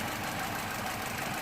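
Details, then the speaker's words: 2008 Vauxhall/Opel Corsa D 1.4 petrol at idle, heard at the exhaust and under the open bonnet: uneven, stumbling beat, a clear misfire; multiple trouble codes, diagnosed as a common Corsa problem but not repaired. "again i think you can actually see here that he's missing quite quite well he's missing quite well right"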